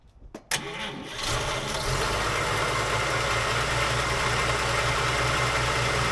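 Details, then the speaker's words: 1951 Chevy sedan, 216 straight-six, stored six years; after fixing reversed battery and coil wiring, replacing the coil, setting points gap and a leaky carb, it cranks briefly, catches and settles into a smooth, even idle; normal. "runs really smooth like I said it's been in storage for about 6 years"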